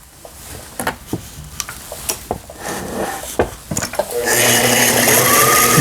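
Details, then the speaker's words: Brother Libero sewing machine, about 25 years old, after replacing the dead motor and power/switch block and fixing miswired power lead: a few clicks, then a smooth, even whir with steady hum, no knocking; running normally. "보시는 것 같이 묘타를 교체하고 나니까 기계 작동도 정상적으로 되고 있고요."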